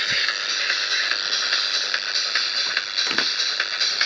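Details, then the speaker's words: FM receiver picking up a test transmitter near 100 MHz: hissy high buzz with faint clicks about once a second under the signal, gone when the radio is switched off; local radio frequency interference (QRM) buzzing. "i'm sorry that it's that noise about this buzzing you hear is my qrm but you can hear it"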